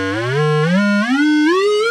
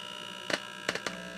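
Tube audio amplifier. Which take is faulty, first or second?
second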